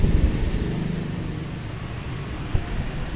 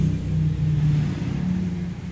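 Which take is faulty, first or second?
second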